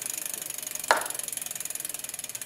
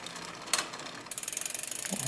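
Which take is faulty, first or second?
second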